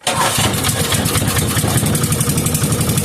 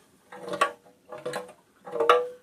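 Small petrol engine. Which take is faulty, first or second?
second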